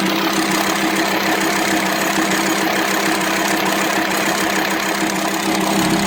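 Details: VW Transporter T5 2.5 TDI (AXD/AXE) at idle: an uneven top-end ticking knock about twice a second. The camshaft was worn and broken because leaking plugs starved it of oil, causing rough idle, low power and metal dust in the oil. The fix was welded plugs plus a new camshaft, tappets and bearings.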